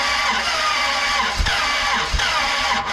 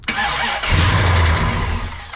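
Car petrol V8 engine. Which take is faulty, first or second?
first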